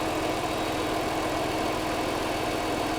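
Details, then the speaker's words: $620 non-running Mercedes from Copart, first start, nearly out of fuel: even, steady idle with smooth low hum and no knocks, misses or ticking; engine alive and idling healthy. "we're about to run out of gas but listen she's alive she's a lot oh my gosh okay well score one for the monkey holy moly it sounds good"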